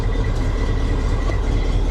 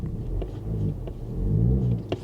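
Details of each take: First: 1980 Chevy 3500 square body, assumed carbureted 454 V8, started at auction: low even rumble with steady beat, no misses or knocks; it actually runs really good, normal idle. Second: Square-body Chevy, warm after running fine, restarted: slow to start, then low uneven rumble swells and sags as RPM jumps around and bogs, clearing up then worsening; rough surging idle, owner suspects a fuel system problem.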